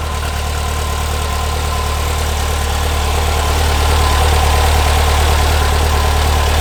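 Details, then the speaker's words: 1970 VW Bus, brand-new air-cooled engine just installed, first run: loud, even rumble climbing smoothly when revved, no knocks or misses; spilled oil burning off the exhaust; normal revving. "it's just burning it sounds so good we did"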